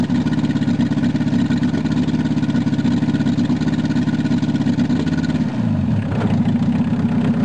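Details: VW Rabbit long sat unused; it first raced wide open, then idled down after the cold start knob was pushed in and out. Now an even low burble at steady idle, settling slightly lower at the end. Normal idle.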